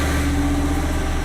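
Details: Propane-fuelled standby generator with roughly 5.0-liter engine, started via transfer switch test during pre-storm check: steady, even low drone with no knocks or misses, holding constant speed; running smoothly.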